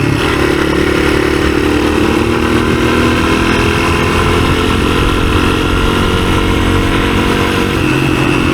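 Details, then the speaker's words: 1983 Honda XR200R single-cylinder, six-speed, first test ride after years sitting: revs out cleanly under load with a smooth, even bark, no misses or knocks; clutch slipping a little; running well. "Yeah, it revs out nice."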